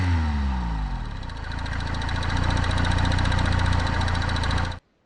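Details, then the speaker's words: Wrecked 2014 Honda CBF125 that the previous owner said needs valve adjustment, idling: a steady light rattling knock, about 3–4 per second, over the chuff. Timing chain, piston pin or crankshaft is suspected; cause unknown. "so what do you think do we have a timing chain rattle a piston pin rattle or the crankshaft"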